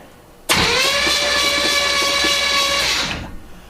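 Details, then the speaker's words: 1971 Chevy Nova with Chevy 350 V8, unmoved 13+ years: clean, steady starter whine about 2.5 seconds, no grinding, with spark plugs out and cylinders oiled, new starter thought to be shimmed right; engine turns freely. "Well, it turns real nice. So that's a good sign."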